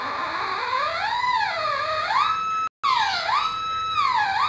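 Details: Homemade Polones PI (pulse induction) metal detector with coil, sensitivity test with a small piece of metal held off the ground: a clear warbling tone swoops up and holds high as the metal passes; normal target response.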